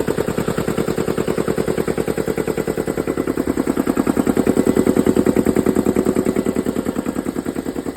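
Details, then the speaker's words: Air compressor with a 10 hp pump on a 7.5 hp electric motor, small motor pulley turning the pump slowly, just fitted with new B72 belts replacing shredded ones, belt guard off: slow, even thumping, about 200 strokes/min, no squeal or knock; running healthy. "All right, everything looks good on this one. It has such a small pulley on the electric motor that it turns the pump pretty slow. It's actually a 10-horsepower pump on a 7 and 1/2 horsepower motor."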